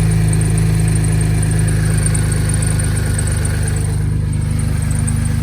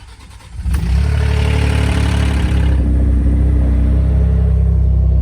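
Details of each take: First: 2011 Ford F-150 3.5L EcoBoost V6 after installing a Master Lube pre-oiler to cure cold-start rattle: steady low idle with even pulse, no rattle or ticking, oil pressure present; healthy. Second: 2011 Ford F-150 3.5L EcoBoost V6 before pre-oiler install: cranks and catches with a brief metallic rattle over the first seconds of a cold start; Master Lube pre-oiler kit to be fitted to fix it.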